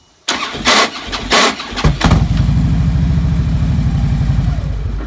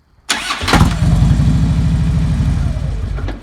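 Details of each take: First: 2009 Harley-Davidson Road King V-twin, not only when hot: a few heavy harsh clunks while cranking before a lumpy idle; suspected starter clutch, ring gear or compensator, owner ruling out starter clutch first. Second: 2009 Harley-Davidson Road King: this start is clean, one quick crank into an even V-twin idle with no starter clunk. Other starts give an intermittent horrible clunk, not only when hot; the starter clutch or compensator is suspected.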